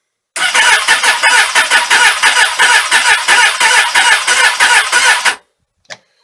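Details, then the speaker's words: Suzuki Katana motorcycle, cold, sat all winter without charge, full choke, carbs primed: laboured uneven cranking about three turns a second for five seconds with no firing; slow cranking, likely a weak battery. "so it's cranking the engine um slowly but it's cranking"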